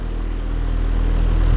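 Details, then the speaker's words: Vintage Patton high velocity air circulator fan after bearing oiling and motor cleaning: steady low whoosh with slight rhythmic blade pulse, no motor hum; much quieter, blades slightly unbalanced causing minor vibration, normal running. "but the fan in general is just so much quieter like before you could actually hear the engine humming right like right now you can't hear it at all"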